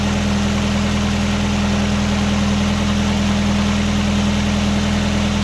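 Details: 1999 Nissan Sentra 1.6 idling after an EGR delete and new headers were installed: a steady, even, smooth low hum with no ticking or exhaust puffing. Much quieter than before the repair. A little oil smoke appears near the oil pan. Normal idle.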